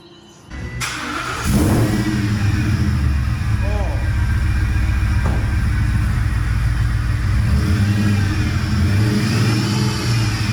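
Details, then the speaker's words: Gen1 Ford Raptor supercharged V8 after new custom-made exhaust: deep smooth rumble with blips, no longer raspy, faint supercharger and power steering pump whine audible; normal exhaust note. "that sounds so much better it's not all raspy that just sounds mean now"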